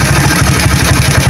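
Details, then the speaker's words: Motorcycle with PWK carburetor after reset of pilot and main jet settings: starts on first press into a steady, even idle with no hissing or sputtering; idle mixture correctly set. "nah hidup untuk langsamnya juga seperti ini ya langsam karbu yang pas itu seperti ini tidak terdapat suara ngeses dan suara berebet ya"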